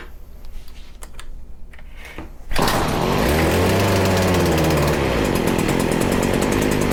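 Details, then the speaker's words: Stihl FS40C trimmer during carburetor mixture adjustment: catches and runs at high buzzing speed, slightly uneven and hunting, improving but still hard running; owner suspects carburetor needs cleaning; rough running. "definitely not quite there yet do a little bit more still is having a hard time we very well might have to clean this carb it's getting better"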